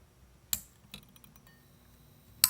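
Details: F6T5 preheat fluorescent fixture, said to come from a MegaTouch Force 2005 game, after a defective lamp was replaced: a few sharp isolated ticks over a faint hum as the glow starter clicks and the lamp strikes. Normal preheat starter operation.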